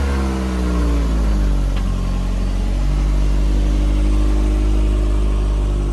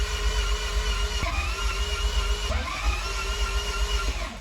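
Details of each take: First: Toyota MR2 after manual conversion, idle settled, possibly by sorting a stretched cable: brief rev dropping to an even, steady, smooth idle with no knocks or hunting; runs well. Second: MR2 after manual conversion: the starter whirs and cycles for seconds with no firing catch; the ECU flashed code 14, igniter assembly, and the igniter connector was found unplugged; crank no start from unplugged igniter connector.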